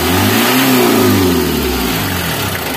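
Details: Mitsubishi L300 diesel, still hot, revs smoothly and falls back cleanly with no knock or stumble after a fix for white, eye-stinging morning smoke; smoke now gone and engine sounds healthy (leaking injector suspected as cause).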